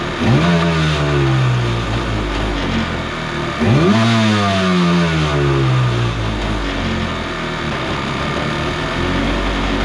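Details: Kawasaki 750 jetski engine in an aluminum mini jet boat, run without the jet pump fitted; two clean throttle blips then an even idle, the earlier crazy noise gone, so it was in the pump.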